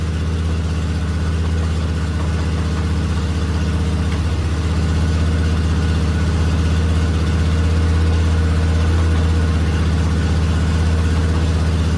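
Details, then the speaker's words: 2000 Polaris Sportsman 500 6x6 ATV, revived after sitting two years: steady, even single-cylinder thumping about four beats a second with no misses after air bubbles or something came through; suddenly running perfect, normal. "I was going to reach down and tap it with this, but yeah, it just started like running perfect."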